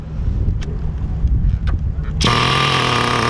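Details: 2002 Tamiya Terra Crusher 1/8 nitro monster truck started with a separate glow starter fires at once and settles into a steady, high-pitched, even buzz, running very rich and oily; normal start-up. It creeps forward, and owner suspects worn clutch springs.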